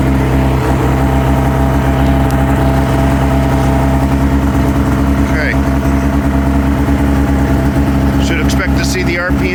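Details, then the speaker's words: 2005 Ski-Doo MX-Z Renegade 600 H.O. SDI cold-started in two pulls after a fuel pump, pressure regulator and strainer replacement for hard starting: smooth, constant high idle with elevated rpm as expected cold, no misses or surging. "up higher like this something else a lot of the guys are complaining about RPMs aren't up at warm-up temperature go right to the low idle speed"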